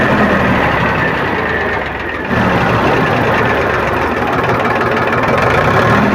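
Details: Powertrac tractor diesel restarted after fuel pump drop timing set, silencer exhaust smoke shown: steady even idle clatter, no misses or odd knocks; normal diesel idle.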